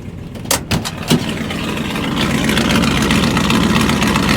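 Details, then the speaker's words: Truck after a cold start: a few clunks, then smooth, steady low idle rumble with no knocks or misses; sounds healthy though owner says it is not actually healthy. "I like it. Sounds pretty healthy even though it's not. This truck's a really good faker. It looks intimidating and uh it's not. It sounds healthy. And it's not."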